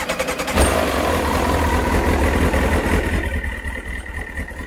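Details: Kawasaki ZX9R after a carb clean and spark plug inspection, with fuel in the carbs and a little choke: engine catches and settles into a smooth, even idle with a steady beat, no knocks or rattles; normal idle.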